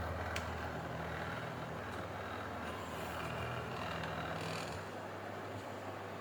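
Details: 230 V AC electric room heater fan after repair, which had not powered on (no fan, no heat), on fan with double heater full heat: steady even rush of air over a low constant hum, no rattle or scrape; running normally, heating up.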